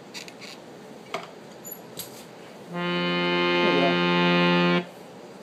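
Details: Harmonium after repair of problem reeds: steady, clean sustained chord with even, bright reed tone and no buzz or rattle; the reeds sound healthy.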